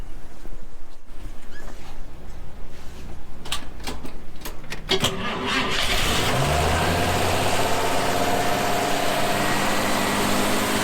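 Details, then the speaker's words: 1954 Chevrolet 210 four-door with original 235 straight-six and Powerglide transmission, before the 383 V8 swap; some clatter before it catches, then settles into a steady even low idle, gauges show great oil pressure, normal start. "As you can see, the gauges showed it's got great oil pressure. Sounds good out here too."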